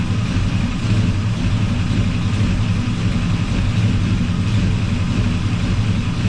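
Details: 1984 Chevy truck with a swapped 454 Gen 6 7.4L V8, still cold, timing being adjusted at the distributor: deep, steady rumble with an even beat and no knocks or misses. Normal idle.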